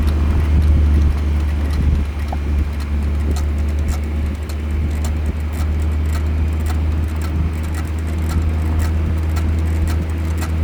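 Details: BMW 440 driving with light rhythmic clicking, about four a second, over heavy road rumble; strange noise began after brake pads were replaced.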